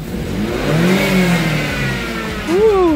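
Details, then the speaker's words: 2015 BMW 328i turbo engine started after installing a new serpentine belt: spins up smoothly and settles, clean revving blip rising and falling evenly with no squeal or chirp: normal revving. "I'm going to start it up starts up like a champion"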